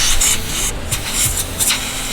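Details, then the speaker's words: Nissan S13 intake boost leak test before dyno: sharp hissing bursts of escaping air as the system is pressurized reveal a small leak at a loose coupler clamp; with a mass air flow sensor this throws off tuning. "now will that make or break us probably not but especially if you if you have a math if you have a mass air flow sensor and you have a boost leak it's going to throw everything off and you're definitely going to need a tune"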